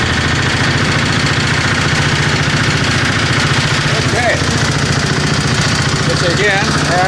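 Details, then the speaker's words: 725 small engine driving under its own power with a little throttle after sitting a long time. A busy, slightly uneven single-cylinder chatter holds speed while moving. It runs normally; the owner thinks it is pretty much okay. "okay so it does does move we didn't try any of this but i'm sure i'm thinking everything's pretty much okay with this"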